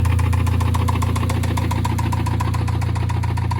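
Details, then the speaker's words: 2000 Honda Civic Si (Canadian spec EJ8, D-series) just bought, driving home: heavy even knock about three or four a second on the engine note, deep bottom-end knock of unknown cause; engine knocking. "Well, that's a sound you never want to hear your motor make. I don't know how well you can hear me right now, but I am currently driving my Honda Civic that I just bought home after buying it, and it is knocking like there is no tomorrow."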